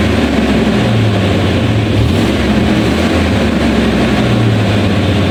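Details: 1991 Chevrolet Suburban V2500 4x4 5.7L 350 V8, new cap, rotor, module, wires, fuel filter: low, loud idle wavering and stumbling while shifted between gears, lacking power, stalling in gear; fixed by replacing the ignition coil.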